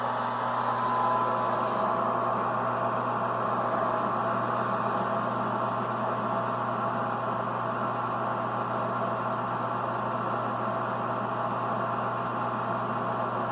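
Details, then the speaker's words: 92% efficiency sealed-combustion gas furnace calling for heat: the inducer fan motor starts with a smooth, steady whoosh and low even hum, with no rattles or scraping, so it is running normally. "furnace is calling for heat so you can hear the inducer fan motor start up"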